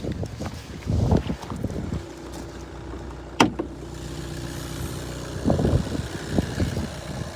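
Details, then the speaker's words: VW Golf 1.6 TDI 81 kW, 12/2014, about 194,000 km, at idle: quiet, smooth diesel idle, dual-mass flywheel quiet with no rattle or clatter; engine runs without extra noises. "факт того що двомасовий маховик тихенький як чуєте Мотор працює абсолютно без зайвих звуків Мотор працює"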